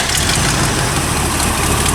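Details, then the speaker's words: 1974 Corvette C3 after motor swap, builder's tuned old engine and intake manifold, mufflers on, driven around town: deep even V8 purr at idle, steady rhythm, no miss, tap or knock; running smooth. "It does purr pretty good. Runs like so."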